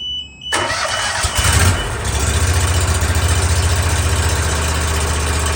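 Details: New mower, first start right after an oil change with an inverted vertical oil filter that can't be pre-filled; held at low RPM so oil pressurizes and fills the filter; starts cleanly and settles to a steady, healthy idle of about 3–4 pulses/s.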